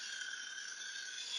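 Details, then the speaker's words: Monroe LA 160-X mechanical calculator, original cord, during restoration, in subtraction: thin steady high-pitched motor whine that won't stop running, with arcing seen inside and the reversing clutch apparently stuck; cause not confirmed. "normally that would be good, but it's not. It won't stop running."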